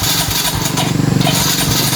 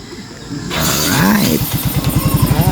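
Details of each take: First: Mio i 125 scooter cranks steadily with rapid starter churning but never catches or fires. Planned checks are spark plug, fuel line, compression and throttle body cleaning. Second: Yamaha Mio i 125 scooter that previously wouldn't start, only cranked, after throttle body cleaning and genuine parts: brief whirring start, then the engine catches and settles into a steady, even putter; normal start and idle.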